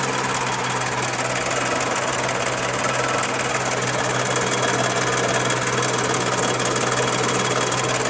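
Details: Charade engine at steady idle with a fast, uneven tapping of about three per second riding over it: a knock from inside the engine, cause unknown.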